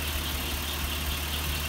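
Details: 1938 Chrysler engine after tuning of points, timing, dwell, plugs and wires: low steady idle with a faint irregular stumble about every half second; compression test found one low cylinder causing the miss.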